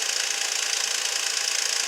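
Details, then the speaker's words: 2006 Nissan Altima, about 200,000 miles, idling after spark plug replacement for P0300 misfire: fast light metallic rattle that calms down as it runs; suspected timing chain tensioner, possibly guides, not confirmed; not causing the misfire. "It might actually be guides, who knows, but I think it's just a tensioner. So the noise is definitely subsiding. You hear it calm down a lot."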